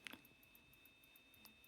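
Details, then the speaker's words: SATA hard drive stripped of its platters and read/write heads, run from its controller board: faint, quick regular ticking of about five a second. Motor trying and failing to spin up. "No, it actually /does/ do something! Listen, I can hear it clicking."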